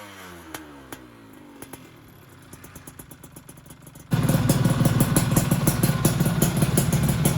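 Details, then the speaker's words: Freshly rebuilt two-stroke motorcycle engine on first run, still fairly cool: light sharp ticks at idle that vanish when revved and return on deceleration, then a loud busy idle. Suspected to be the piston, expected to fade as it heats and expands. "Kalau digas bunyi ngelitiknya hilang ya. Tuh, jadi pas turun aja."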